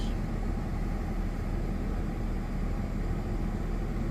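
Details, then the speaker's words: Ford FG2 Falcon after P2110 throttle-body code fix (suspected air leak or dirty throttle blade): low steady idle hum under aircon, radio and lights load, throttle rock steady at 14–15%, no hunting or dips; idling properly. "Put aircon on. Put the radio on. I might put the lights on as well. You can see like it's sitting rock steady at 14–15%."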